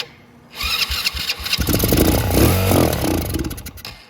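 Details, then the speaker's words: Motorcycle unused for a long time, started on a jumper pack with starting spray only: it catches and revs raggedly for a few seconds, then dies. The fuel filter is empty, so no fuel is reaching the engine; the engine itself is fine. "that is just the the the spray starting it so it started all on its spray so I know the engine nothing wrong with that it's working"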